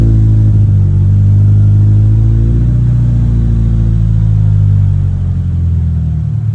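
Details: 2023 Toyota GR86 just after installing an aftermarket exhaust (transcribed "NVIDIA 1") in place of OEM, heard on its first start after install. Low, deep drone rises cleanly with revs and settles back, with no rasp or rattle. Normal, healthy exhaust note.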